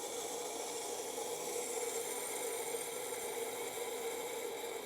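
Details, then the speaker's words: iSpring 3-stage whole house water filter after changing sediment and carbon filters: steady soft hiss, no surging or knocking, water flowing evenly as new filters fill and saturate; normal. "once this fills up, you'll hear it going through here too. So this will take a few minutes here just to saturate the new filters."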